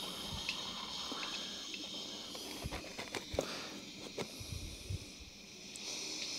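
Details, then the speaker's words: Air compressor tank drain valve at the bottom being gently cracked open: a soft hiss with drips and clicks as leftover air pressure bleeds off. The tank is then fully drained, with corrosion already starting inside. "so just gently undo the valve once all the air has come out you can then release the valve fully from inside"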